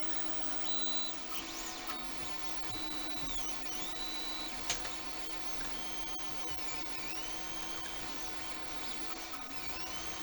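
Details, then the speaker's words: Anycubic Mega X 3D printer, bought broken with PCB smoke, printing a benchy: quiet, even running, steppers singing rising and falling whines as the head moves; drivers heard more than motion system, running normally. "machine, you hear the drivers and not the motion system."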